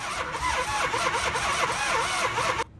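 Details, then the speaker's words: 1978 Dodge van with 440 V8, sat 30 years, after oil pump, water pump and alternator replacement: fast, even starter churn under three seconds that cuts off without catching; cranks but won't fire, later needing new wires. "the biggest issue that we had though was the van not wanting to fire we struggled with it for quite some time"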